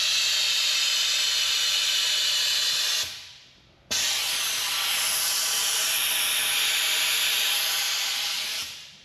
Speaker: it removes all the air but removes the air before you put coant in okay also a way of filling it as well